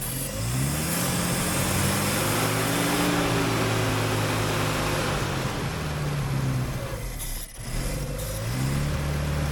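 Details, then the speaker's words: Suzuki Samurai abandoned 20 years, cranked with the clutch in while pumping the gas: starter grinds, engine briefly catches and revs unevenly, then dies; fuel is just reaching it, fuel starvation. "I think we got fuel into it I think we actually got fuel into the thing now"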